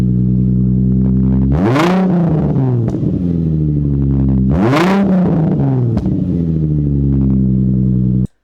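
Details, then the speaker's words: Nissan 350Z V6 with aftermarket exhaust, revved with the exhaust unbolted and open ahead of the muffler: two quick blips, loud raw throaty bark, pitch rising and falling sharply. "Now, I could easily get carried away just listening to that exhaust, but I thought I should probably get back to work and try removing this axle."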